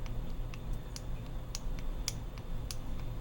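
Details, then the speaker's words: 2020+ Ford GT500 Cortex vertical link removed from the car, shaken by hand: sharp, uneven clicks a few times a second from a worn, loose end bearing rattling; a tolerance issue. "if you take everything that's loose off and you shake it and it makes noise you automatically know it's right there it's in that end you automatically know it's rattling at all times that's your issue so this bearing right here yep I can feel it you hear it"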